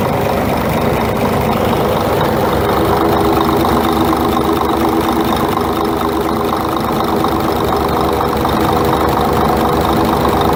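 Steady diesel idle with a loose, irregular knocking ticking through it at roughly two per second; knock of unknown cause.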